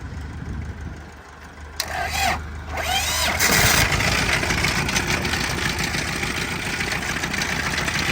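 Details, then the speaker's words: Auction-bought Isuzu diesel engine, first start after fuel system primed: cranks, catches, then loud uneven clattering idle with rattle through it; rough running and rattling, sounds blown up, cause unknown. "so I don't know if you can hear that but that's some loud rattling"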